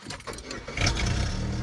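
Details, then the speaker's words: Pontiac after replacing the failed starter: brief crank, catches in under a second and settles to a steady even idle; normal quick start. "Oh, that's nice. Fires right up now."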